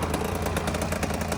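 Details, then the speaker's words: 1995 KTM 300 EXC two-stroke, warm, carb cleaned and clogged jet fixed, starts first kick: quick, even idle with crisp steady popping, no misses or stumbles; normal idle. "but it's nice to hear that it but it does it starts lives right up first kick after getting it warm"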